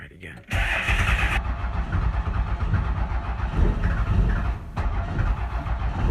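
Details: 360k-mile Cummins 12-valve diesel, cold start in about 30°F Michigan weather; long rough cranking with uneven low chugs before it catches, then smokes heavily; owner suspects the intake heater (only one may be working) or battery voltage.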